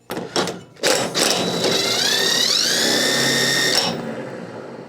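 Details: Yard Machines (MTD) riding mower, 13.5 hp Briggs, 38-inch deck: newly replaced spindle bearings spun by hand give a clean, rising whir with no crunch or grit; bearings run smooth.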